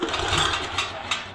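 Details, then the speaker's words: Yağmur YET 300 rototiller that tipped over, then misfired and stalled: recoil pull rattles, catches and stalls hard against compression again and again; found loose rocker adjuster, valve setting slipped. Recoil starter pull against stuck compression. "kurgudur geri atma Bir de o sıkıştırıp sıkıştırmayı geçiriyor Ondan sonra çekmeye Danny maalesef yine sıkıştırma var yani sikiştirmali geçtim yine çıkınca yine sıkıştırma yaptı bu"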